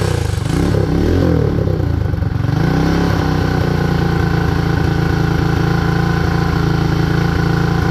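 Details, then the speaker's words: Predator 224 Max Performance engine on a Mega Moto minibike after a hemi build, first start: quick revs then a smooth, even single-cylinder idle with no tapping or misfire, despite a carburetor fuel leak suspected from a stuck float or needle; normal running. "but it ran right it ran very nice I'm happy I want to hear it run one more time even if it does have a fuel leak"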